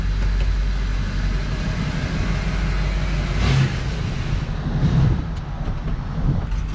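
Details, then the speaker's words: Blown-up Duramax diesel still running: deep rumble surging unevenly with ragged lumpy note and a backfire; heavily damaged engine running rough. "You can blow up a motor and it still fucking runs. It just ain't gonna run worth the shit."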